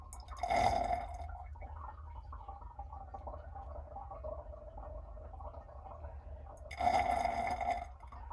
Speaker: Okay, now you can hear it. You can hear the hot water just being sucked out.